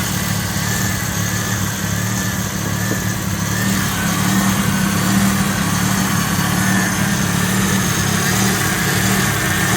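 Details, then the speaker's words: Roughly 40-year-old Ford Capri turbo started after 15 months off the road, temperature coming up, idle hunting slightly; noisy power steering pump due to a kinked pipe: steady, even idle with no knocks; normal idle. "But it is running well. Just remember this noisy power steering pump is because there's a kink here in the pipe."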